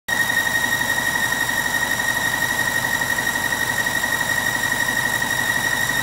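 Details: 2006 BMW 750i at idle: steady high-pitched squeal evenly over the idle from the engine bay; owner thought it was the belt but it wasn't; source unidentified.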